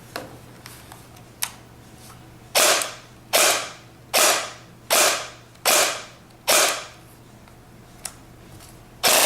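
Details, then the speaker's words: G36C airsoft gun dry-firing after hop-up modifications: each cycle is a crisp, even snap with no grinding or dragging through the gearbox; owner suspects the air nozzle had been hitting the hop-up chamber before. "but here's the sound just so you can hear it. It sounds really smooth."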